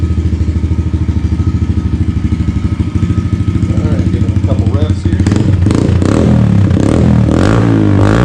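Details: 2022 Yamaha TTR110 pit bike with full Pro Circuit exhaust, just started and warming up: fast even idle about three pulses a second through the loud aftermarket pipe, then throttle blips; normal idle.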